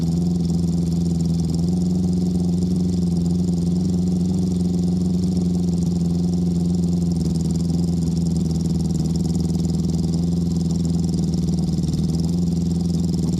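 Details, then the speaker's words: Honda CB650, warmed up, after fitting Ricks Motorsports CDI units to cure a cylinder 3 misfire: a steady, even low drone with no dropouts; cylinder 3 now fires. "Oh yeah, she's hot now. Yeah, it's firing."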